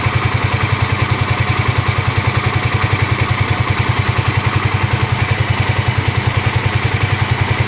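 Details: 2009 Kawasaki KLX250S first start-up after 300 big bore kit and new gaskets, idle raised from about 1000 rpm toward spec, oil checked in window: even, rapid thumping at steady idle, no knocks, ticks or misses; normal healthy idle.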